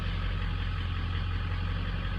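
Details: 2003 diesel with VGT turbo on a cold start, injector data logged; cylinders 7, 3 and 6 cleared up quickly. Steady low idle with a deep, even rumble, no stumble or miss, running smooth and balanced.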